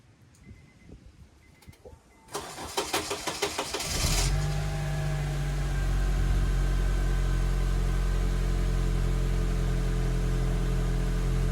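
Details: Honda with hard starting and white tailpipe smoke: steady cranking at about four beats a second for a couple of seconds before it catches and settles to a smooth idle. Extended cranking before start.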